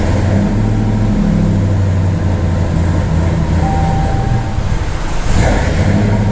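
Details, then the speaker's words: Hellcat 6.2L supercharged V8 swapped into a Ram 1500, first start with returnless fuel system: lumpy, loping V8 idle that hunts and stumbles, air still in the fuel rails and lines plus an unplugged sensor; rough running. "she's pissed we have to get all that air out of those lines that's a problem"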